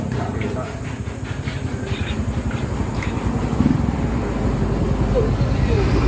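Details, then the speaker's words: Yamaha YTX125 after its carburetor was cleaned and possibly the spark plug addressed, which fixed the misfiring and stalling: the small single-cylinder engine settles into a steady, even putter with no misfires; running normally. "Ayan guys na umandar na >> yan ang naging problema niyan guys ahis namin yung karburador saka yata spark plug naging problema"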